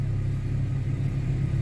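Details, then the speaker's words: 2011 Chevy Camaro, check engine light, intermittent hard start: warm idle with uneven, stumbling lope, smells rich, misfire counts on cylinders 2 and 6; suspected faulty EVAP purge valve, not yet confirmed. "so the temperatures are going up smells rich misfire on one one and two no two and six"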